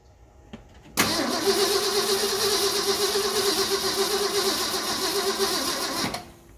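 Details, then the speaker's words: 1974 Ford F-250 Highboy 4x4 that sat for years, old fuel smelling like water: starter churns sluggishly and unevenly about four beats a second for five seconds without firing; battery getting low, slow cranking from weak battery. "Yeah, we're gonna put the charger on the battery because you already hear that getting low, and get some good fuel to this thing."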